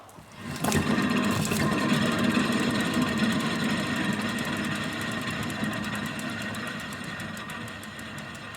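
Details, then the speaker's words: Ford Mondeo Mk3, 2003, about 17 years old: spinning rear wheel gives steady rough grinding with fast ticking, about four a second; badly worn rear wheel bearing with play, failed MOT as dangerous, then replaced. "anyway all joking aside that's pretty bad that will was literally at the point of it was gonna fall off very shortly"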